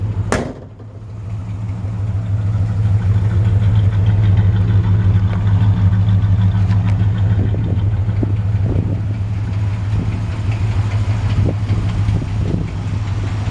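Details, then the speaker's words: 1966 Chevy C-10 longbed, 350 small-block V8, just started and still cold: smooth, deep, even burble at steady idle, no knocks or misses; owner notes possible tiny exhaust leak or header thump; normal idle. "You know, a typical 350 sound."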